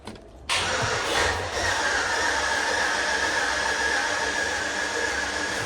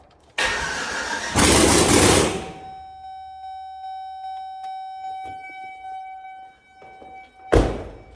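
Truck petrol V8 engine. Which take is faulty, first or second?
first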